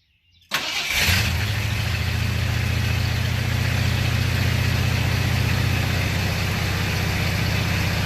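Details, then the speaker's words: 1978 Ford F250 just after a tune-up with new plugs, wires and cap (old wires suspected intermittent); cold start, slightly uneven lumpy idle, no mechanical knocking; rough cold idle that smooths out, timing still needs setting. "She's running a little rough, but it's cold, so we'll have to hit the kick down and she'll settle right down."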